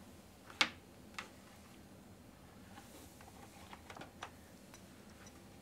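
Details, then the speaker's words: External hard drive on a Mac over USB (no FireWire) during a Mac OS 9 install: a few sharp ticks at irregular intervals, the drive clicking because the USB port cannot supply enough power. A bus-powered flash drive was needed instead. "oh yep listen to that yep so it cannot be powered off of this which was my fear so I'm going to need to get a flash drive something that can be bust powered"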